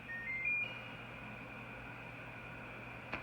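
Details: Samsung DW80M2020US dishwasher after the moisture sensor fix, which was done for flashing lights and beeping that kept it from turning off or working: a quick three-note rising chime, then a quiet steady hum, powering on normally.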